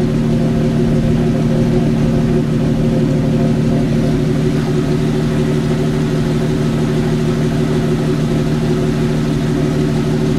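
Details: Jeep YJ idling in third gear with wheels in the air: steady droning hum with several fixed tones over the engine, a bad wheel bearing.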